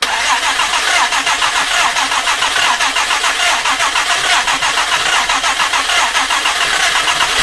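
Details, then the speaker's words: Jaguar E-Type 2+2 under restoration, first start attempt: quick, even starter cranking for several seconds, never firing; engine flooded after choke was applied, fuel pooling. "go i'd say now and i'm going to say that this one is flooded debuggery obviously once that when you put that choke on it seems to flood up really nicely"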